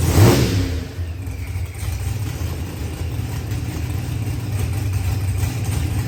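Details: Procharged LS V8 with a 12-1 crank trigger wheel, newly installed engine: a deep, steady rumble that holds an even pace without misses or stumbles; it is back up and running cleanly.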